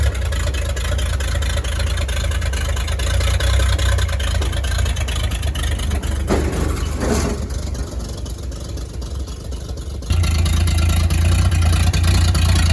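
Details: 1938 Chevy Master Deluxe six, chilly Alaska September, with rebuilt carburetor and starter from a 1942 G506: low, steady idle rumble dips briefly then settles back to an even beat; runs very well, normal idle.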